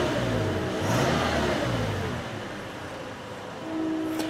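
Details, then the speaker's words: Simulated 2013 Toyota Tacoma (Assetto Corsa game mod) after an oil change, warming up: clean rev rise falling back smoothly to about 880 rpm idle, expected to drop to about 750 rpm when warm. Lifter noise normal, no oil light. Normal revving. "sounds good cool and temperatures coming up so the idle speed will drop off a little bit as it retards the spark and the ignition timing a little bit once everything's up to operating temperature"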